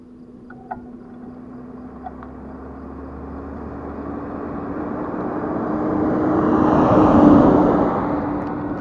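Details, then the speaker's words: The Monster on tour after its front wheel bearing and hub were reassembled improperly: a steady mid-pitched drone swells with speed and won't go away, then the brake slams on; major breakdown, cause unknown. "I keep trying to move and it's just it won't go away I'm trying to figure out what this noises"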